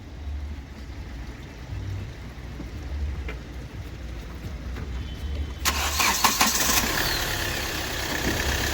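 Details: Hyundai i20 petrol engine at idle with uneven stumbling low thump and shake, misfire; scan shows injector circuit open fault on one cylinder, traced to broken injector wiring; AC won't engage and no pickup.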